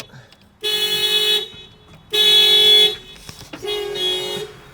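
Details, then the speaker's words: Tripped security alarm on an unfinished project car: loud two-tone horn bursts under a second each with short gaps; car won't start as the alarm keeps tripping the immobilizer. "The alarm is going off right now, as you guys can see by the headlights. I'm going to let this run its course and try starting it again."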